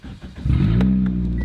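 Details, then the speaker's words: 14-year-old Toyota Corolla, manual: catches and settles into a loud, deep, raspy roar, far too throaty for stock, because the pipe going to the muffler is rotted off; exhaust leak, check engine light may eventually come on. "well actually the pipe under there going to the muffler is rotted off he asked me hey scotty i kind of like the way it sounds is it going to hurt anything like that"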